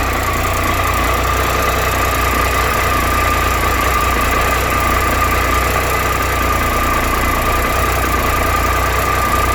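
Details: 2013 Triumph Tiger Explorer at 31,000 km, ticking when both cold and warm: a fast, light ticking rattle over a steady idle with a thin whine, suggesting a top-end tick. The owner is taking it to the dealer to have the valves done, hoping that fixes it.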